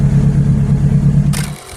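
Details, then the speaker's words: K20Z3 engine, naturally aspirated, no idle valve fitted, wiring just fixed, preliminary tune: even low hum with steady beat, idles smoothly without touching the gas before cutting off; normal idle. "Is that without touching the gas for no idle valve? That's pretty good."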